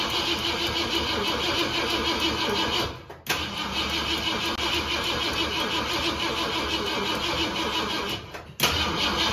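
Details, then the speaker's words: 1964 Ford Galaxie 500 with 390 FE big block after decades in a junkyard; two long sluggish cranking bursts, never fires, battery nearly dead despite charging; carburetor not fueling also suspected. "you sound like it ain't getting any fire and it sounds like the battery is about dead even though that one's just on the charger i wish it would have started"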